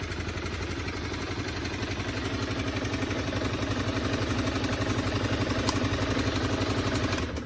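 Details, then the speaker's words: Honda CBR250R that sat in a yard for 5 years, on fresh fuel and a temporary generic battery, warming up with some stale gas possibly left: steady, even single-cylinder putter with no misses or knocks; normal idle. "Let it warm up a little bit. All right, runs idles. That's awesome."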